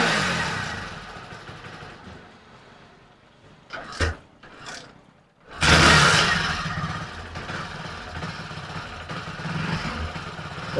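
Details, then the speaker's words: Hero HF Deluxe BS6 motorcycle, hard starting and stalling on throttle, after cleaning and switch-cycling: quiet idle, then throttle blips stumble and revs swell without crisp pickup, won't build speed; still not fixed, carbon-fouled oxygen sensor suspected (P0131). "जैसे ही मैं accelerator दबाता हूं, उसमें कुछ कमी महसूस होती है। तो बाइक अभी तक ठीक नहीं हुई है। देखो, यह रफ्तार नहीं पकड़ रहा है।"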